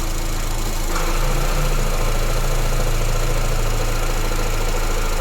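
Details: Honda Airwave idling picks up a steady low drone once shifted into drive, a humming CVT, while being cycled through reverse, neutral and drive.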